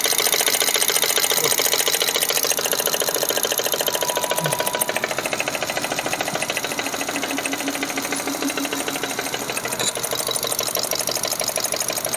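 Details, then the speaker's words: Car engine with rough cold-start noise, oil still fairly clean: loud, rapid metallic clatter at idle, about three taps a second, oil cap off shows no oil spraying up, blocked top-end lubrication. "ini saya starter uh ingin dengar suaranya ya sangat kencang sekali"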